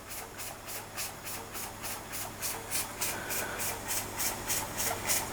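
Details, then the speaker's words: Weeden 44 model steam engine, boiler heated, steam pressure up, at the fastest it will run: soft even exhaust chuffs about three and a half a second under a steady hiss; runs weakly, governor can stall it, owner suspects low steam pressure. "And that seems to be about as fast as I can get it to run. I mean, it is running, but it's only just running."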